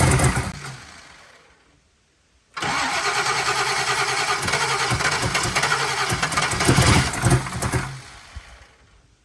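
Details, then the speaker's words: SBF turbo 383 V8 after new rocker arm install, first very cold start, timing not yet set: catches and runs a bit lumpy with exhaust-leak puffing, but the earlier metal-on-metal tapping is gone; normal valvetrain. "so a couple of exhaust leaks but the tapping is it's got a little bit of exhaust leaks but the tapping is gone it was like a metal on metal tap so I'm happy with it"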